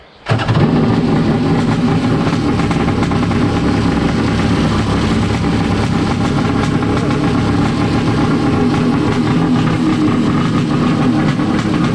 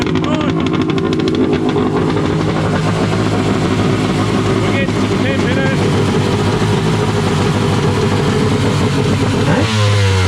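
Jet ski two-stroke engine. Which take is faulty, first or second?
first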